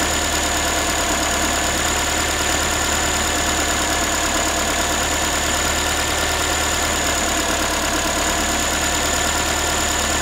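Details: Ford Focus 3, 1.6 engine (125 hp), steady idle after a cold start: a thin, tinny, pan-like metallic rattle at about three per second. The owner is asking what it is, and the source is unclear.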